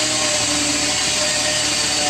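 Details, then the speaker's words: Car just after coolant hose leak repair and coolant refill, start-up; steady high-pitched whine with hiss over engine, thought to be power steering. "yeah this uh sounds like power steering"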